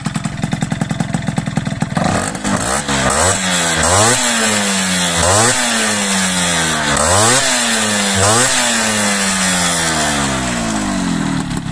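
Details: Piaggio Ciao 50cc Athena two-stroke with modified airbox for quieter intake: buzzy idle, then repeated clean revs climbing and falling smoothly with no booming or drone; running healthy.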